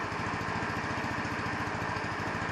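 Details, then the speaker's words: 150cc Chinese scooter idling cold on its electronic choke; fast, fairly steady single-cylinder putter with slightly uneven beat; rough cold idle, owner suspects idle mixture not set properly, not confirmed. "it's the idle mixture does not set properly for the adjustment it sounds kind of okay but my ear is not trained i don't know if the idle sounds proper"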